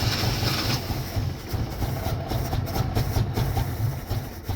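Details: 1983 Chevrolet Chevette, old car: starter cranks in an uneven rhythm with sputtering, ragged catches that never settle into idle while pedal is pumped; hard start and stalling, car needs mechanical work, cause not stated.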